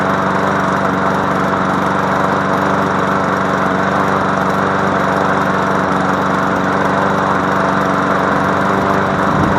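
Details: MTD Yard Machine push mower after fixing no compression by adjusting the valves: steady, even single-cylinder drone at constant speed, no misses or knocks; runs healthy.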